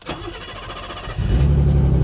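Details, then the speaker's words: 1984 BMW 633 CSi, half tank of gasoline: about a second of slow cranking before the engine catches and revs; reluctant start, won't stay running, cause unclear. "She just doesn't want to stay running. I have a half a tank of gasoline. Come on."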